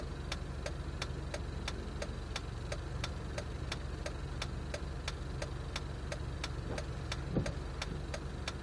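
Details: Jeep at idle: steady sharp ticking about one and a half per second over a low, uneven idle; rough idle.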